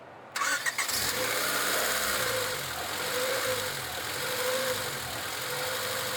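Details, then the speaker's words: Honda Civic first start after reconnecting a sensor and hoses: the idle swells and sags about once a second instead of holding steady. Idle surge on cold start; owner unsure if it's just fluids circulating. "I don't know if that was just first startup or uh it's obviously fluids need to run through it, but still surged when I started it up."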